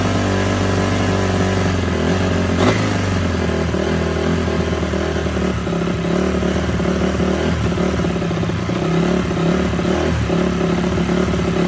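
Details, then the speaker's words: Rebuilt 2004 Honda CRF250 after it was blown up, first start: engine speed rises and sags and never settles, a surging idle; owner suspects a pilot circuit issue since it runs perfect on mid to top but won't idle. "as you can hear guys it's running but not that great I think um if I had to guess from the surging I'd say uh I've got a pilot issue because it runs perfect on the mid to top"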